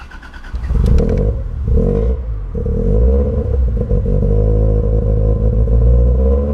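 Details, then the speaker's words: 1991 Toyota Celica GT, standing 4 years, started after fitting a new battery and fresh petrol: loud, lumpy low-pitched running with uneven revs and some clatter; rough running, cause not identified and a full service planned. "It's running, but it's running badly. So I think we definitely have to give it a good service."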